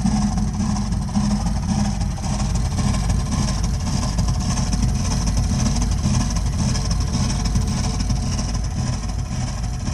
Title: Burnham Alpine boiler problem with loud noise